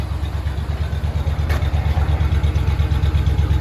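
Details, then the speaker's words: Chevy C30 square body Mason dump V8, revived after an under-hood fire and despite a worrying compression test: steady, even low burble at idle with a regular firing beat and no misses or knocks; it runs smoothly. "She's sounding good though. Very happy with the way this thing runs, and at least now I'll be able to pull it in and out without any hassle."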